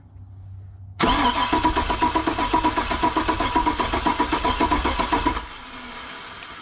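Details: Truck, crank no-start: steady, even cranking at about four compressions a second, no cylinder catches; fires on starter fluid, noid light shows no injector pulse, so no fuel delivery.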